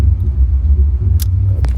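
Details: 2011 Toyota Camry with code P0302 (cylinder 2 misfire), later fixed with new spark plugs and ignition coils. Deep, uneven idle with irregular dips and surges, pointing to a single-cylinder misfire; suspected, not confirmed.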